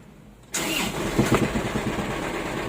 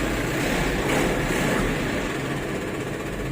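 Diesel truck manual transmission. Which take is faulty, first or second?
first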